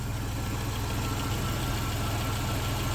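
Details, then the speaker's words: 1991 Dodge Caravan with transplanted 3.0 V6 not run in about 21 years, first run, slightly low on coolant; steady even low hum with no dips or stumbles, smooth healthy idle. "Listen to that thing. Purr."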